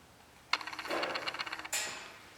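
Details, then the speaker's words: Idle air control stepper on a MegaSquirt 2 running a 5.3L LS truck engine, engine off: short fast ticking buzz of the motor moving the plunger toward fully open idle position, then clicks; normal valve travel. "and that's the sound of just the motor traveling uh moving the plunger that should be kind of like wide open idle position"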